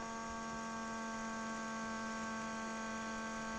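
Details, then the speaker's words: 2006 Ford Super Duty 6.0 Powerstroke diesel after replacing the failed fuel pump/HFCM and fuel filters, key cycled to prime before starting. Steady, even mid-pitched hum with no surging or rattle; fuel pressure is now present where it was zero before. Normal fuel pump priming. "you can hear the pump starting to prime [Music] that's the sound you want"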